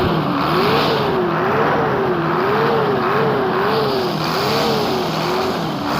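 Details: Hino J08C diesel engine revving smoothly after repair, in easy, even swells with no knock, miss or rattle; healthy under throttle.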